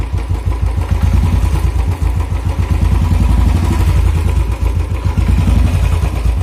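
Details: Royal Enfield single at idle: rapid, steady clatter riding on the idle thump, even throughout; abnormal engine noise, source not pinned down.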